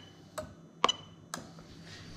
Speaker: let's make for it to load and you can hear the relay click